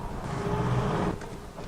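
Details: Homemade paint-tin smoke machine used to trace a squeal and rough idle; on road test up hills in first and second gear at flat-out throttle, steady low engine drone with plenty of power, no squeal; normal acceleration under load.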